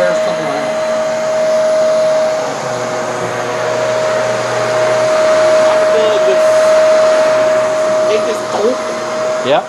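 Steady motor whine holding a constant pitch, with a soft whirring brush roll underneath; sounds like a vacuum running normally.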